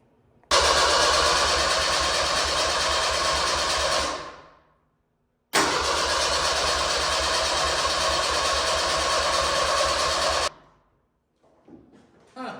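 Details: Jeep pulled from a fence row, battery charge uncertain: two long cranking bursts at an even starter rhythm without a catch or fire; cranks but won't start, owner unsure why and plans research.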